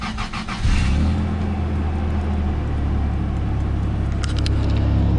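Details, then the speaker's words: Supercharged 2003 Toyota Tacoma after replacing the fan and fan clutch: the engine starts and settles into a smooth, even idle with a steady fan rush moving air, no knocks or squeals, and no radiator leak. "Started. Not making funny noises. Fan is spinning. Radiator's not leaking. Actually sounds like it's moving air."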